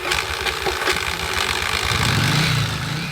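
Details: 1981-1983 Yamaha XV750 Virago: harsh, uneven clattering and grinding as the starter cranks before the engine catches and runs; starter issue, fixed by replacing starter clutch parts.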